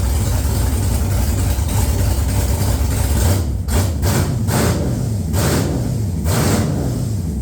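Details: XG ute with a 6.0 L LQ4 (long-crank) V8 swap, first start after replacing a faulty new crank sensor: deep steady V8 idle, even low rumble, no knocks, misses or hunting; running smoothly.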